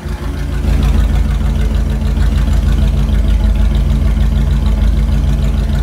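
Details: Gen 1 Hemi V8 on an engine dyno: deep, steady idle with an even lope of about three beats a second, no ticks, knocks or rattles; sounds healthy.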